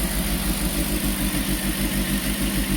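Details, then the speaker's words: Peugeot 205 GTI that would not start from cold without help, after an idle control fix: a steady, smooth fast idle that holds about 1500 rpm on its own after a couple of throttle blips, with no hunting or misses; healthy. "it's holding revs on its own the initial startup procedure is just give it a couple of blips"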